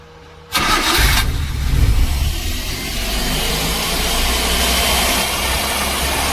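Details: Daihatsu Dabbab petrol engine just after its electronic throttle body was cleaned and refitted, original sensor kept: cranks, catches, then holds a fast steady idle that never drops; idle set too high, burns more petrol; high idle.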